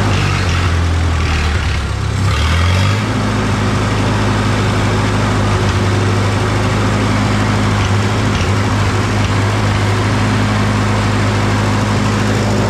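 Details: SA-200 welder engine, just running again after freeing three stuck valves, no coolant, burning off PB Blaster: low steady even thrum, no ticking or knocking; idling smoothly, normal idle.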